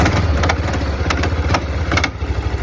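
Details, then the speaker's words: 1991 Kawasaki Bayou 300 4x4 ATV, cold start: loud metallic clanks about twice a second over the single-cylinder idle; knock only when cold, gone once warm, unchanged by an oil change. "you guys hear that knock only when it's cold once it warms up doesn't make that noise anymore"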